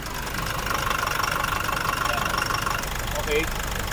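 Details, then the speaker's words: Nissan NP300 Calibre diesel under load in reverse, knock disappears in neutral, heavy oil spatter, listened from underneath: irregular dull knock about 1.5 per second; likely internal engine knock. "Kaya talagang ito, malamang po ay engine knock po talaga yung naririnig nating problema po na yan."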